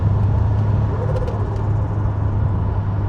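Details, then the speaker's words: Boosted Ford 2000 RS Cosworth replica, first drive on freshly rebuilt forged engine with remote tune, gently coming on boost in second gear; deep, even hum with no knocks or rattles, healthy engine running under load. "Yeah, the engine sounds sweet."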